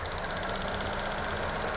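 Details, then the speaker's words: 2016 Chevy Cruze 1.4L with code P0496, idling: fast, steady clicking from the engine, first suspected as injectors, actually a faulty EVAP canister purge valve; replacing it fixed both problems. "so now you can hear this clicking noise coming out of this area somewhere so first of all I was thinking about injectors which is located down here"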